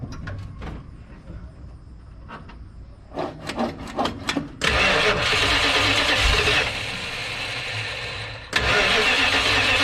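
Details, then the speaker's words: 1970 Dodge D100, 383 V8, after installing Holley Street Dominator intake and 750 cfm carburetor: several seconds of cranking, catches with a blip, settles into a strong, steady idle, no misses or knocks. "let's uh crank on it see what this thing sounds like with this uh 750 cfm carburetor and the holley street nominator intake"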